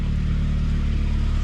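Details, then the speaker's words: 2002 Saab 9-3 convertible after readjusting the leaking exhaust clamp, still leaking slightly at a crack: steady low idle rumble with no rattle or ticking; exhaust sounds much better and quieter, may rattle again when driven. "Sounds much better. Doesn't sound so rattly, right?"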